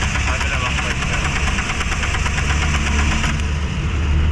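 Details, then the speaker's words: Suzuki APV/Ertiga with low power and heavy engine vibration: rough idle with a steady stream of uneven ticks and stumbles. Two ignition coils are faulty, with a cracked one leaking spark to ground and causing misfire. "oh ito yung putok nung coil sir Oh ayan oh butas na yung coil mo Ayan oh Diyan lumalabas ung kuryente"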